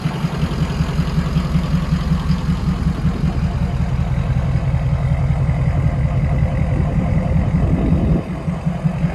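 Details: 6.0 Powerstroke King Ranch with new KC Stage 2 10-blade VGT turbo, idling during vane relearn: deep steady even low rumble, no misses or knocks; normal idle.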